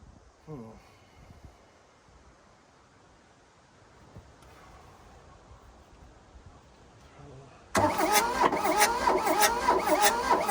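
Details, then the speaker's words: 1982 Volkswagen Rabbit diesel pickup (Caddy), sat in a junkyard about 20 years, possible compression loss: starter spins with labored, uneven chug about one to two beats a second, briefly trying to fire but never running; timing suspected off. "oh it's trying to fire yeah put the timings off and frankly i'm not gonna mess with it enough to figure that out"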